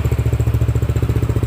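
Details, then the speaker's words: Yamaha N-Max scooter after repairing the stripped roller-housing (variator) shaft thread without splitting the engine, roller housing nut now tight: even steady low putter about a dozen beats a second, no rough CVT rattle or scraping; repaired. "dan sekarang bunyinya tidak kasar lagi dari CPT nya karena baut rumah rollernya itu sudah kencang."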